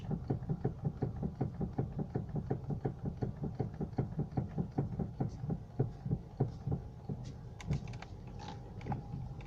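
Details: Honda Civic 4D with electric steering rack: rapid regular dull knocking from the rack, several a second, easing briefly midway; cause found to be broken plastic bushings in the rack, shaft worn but drivable.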